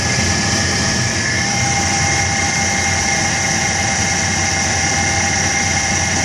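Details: 1999 Chevrolet S10 2.2L with 86k miles at idle: busy, hissy metallic clatter high over the engine. Owner asks whether the timing set needs replacing; timing chain noise is possible but unconfirmed.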